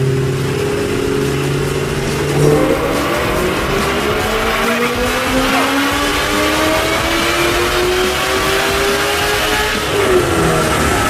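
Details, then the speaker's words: Ford GT500 making about 700 whp, run after a headers install on a humid 90°F day; a strong rising note climbing steadily through the gears at full throttle, clean pulls with no misfire or popping and the tune spot on. "That sounded like a better run. Man, the tune is dead on, man. It is just right. I mean, the car sounds perfect. The headers sound excellent."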